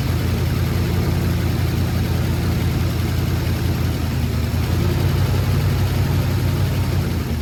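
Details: Ford Sunliner running after a new starter, carb cleaning and float adjustment: steady, uneven low idle rumble with a rough puffing edge. A really bad exhaust leak is shown by black soot at the joint.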